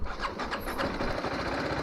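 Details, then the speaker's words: TVS Apache RR 310 motorcycle: sluggish, labored starter chugging that takes a while before the engine catches and runs rough; slow hard start, owner suspects a weak battery. "okay so the bike has started but you can see how long it takes for it to start once i crank it so obviously the bike's battery is pretty weak"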